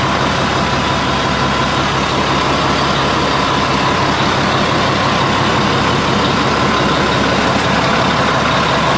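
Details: 1980 Mack FR700 diesel truck idling after restart, following an oil leak fix and first start in 10+ years: heavy, steady, even clatter with no misses or knocks, running normally.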